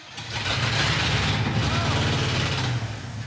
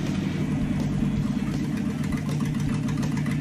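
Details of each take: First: 1966 Dodge D100 pickup after sitting, run off a can of gas with ether into the mechanical fuel pump. It starts roughly, with a loud, raspy puffing hiss over the V8 rumble; an exhaust leak of unknown origin. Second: Steady, even carbureted V8 pickup idle with brief throttle blips, no misses or ticks, after carburetor cleaning, vacuum leak check and idle adjustment; runs great.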